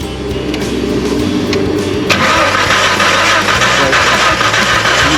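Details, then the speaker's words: 1991 Jeep Comanche, out of gear, good battery; steady fast cranking about three turns a second that never catches. No spark at the plugs though the coil sparks; cause was a broken distributor rotor. "So, as you can see, it's not starting, but we got plenty of battery. It's cranking."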